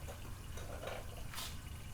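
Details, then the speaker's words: Junkyard GM 5.3L LS engine for Chevelle turbo build, leak-down test with cylinder pressurized: soft irregular gurgling bubbles heard at exhaust port as air leaks past the exhaust valve. "there you go you hear that gurgling in there all these bubbles so yeah definitely leaking pretty good there"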